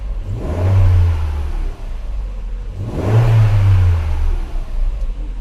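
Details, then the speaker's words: Petrol Opel/Vauxhall Vectra after new spark plugs were fitted and fault codes wiped: engine blipped twice, rising and falling smoothly with an even note; the earlier misfire is gone. "and now I'm gonna start the engine and as you can hear the misfire is now gone"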